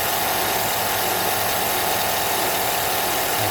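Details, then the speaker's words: 2007 Chevy Avalanche 5.3L Vortec V8, 124k miles, warm at normal operating temp in 30-degree weather, oil pressure above 40: steady high-pitched squeal over smooth idle from the front of the engine; owner suspects a pulley, not confirmed. "I think it's a pulley but could be something else something logical"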